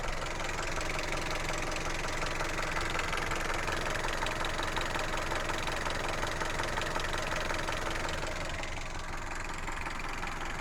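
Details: Hyundai Solaris 1.6 at idle after overheating: dull, fairly regular engine knock about three times a second over the engine note.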